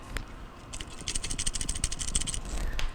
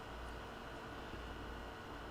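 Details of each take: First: Maytag MTF2156GEW top-freezer refrigerator leaking and not cooling, compressor stopped: start relay removed from compressor and shaken gives rapid loose rattling with something free inside; failed compressor start relay. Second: Maytag MTF2156GEW top-freezer refrigerator (leaking, not cooling, compressor stopped) after a hard-start kit was installed; low, steady, even compressor hum with no clicking or cycling, running normally.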